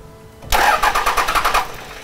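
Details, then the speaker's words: 1998.5–2002 Dodge Cummins (VP44) after a Fleece PowerFlo lift pump install: the starter cranks in quick even pulses with no catch, a no-start from air in the system; injectors 1 and 3 need bleeding. "right so we are going to have to bleed them I'm probably gonna have to get a different branch than this open up the number one and three injectors"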